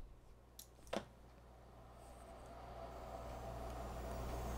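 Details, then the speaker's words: Click at switch-on, then a low, steady hum building as the fan spins up. This is the Osicom OfficeMate 286 power supply, powered alone and not connected to anything; the fan runs normally, so the supply is assumed good. "fan turned on it's a good sign it's not connected to anything the fan is on"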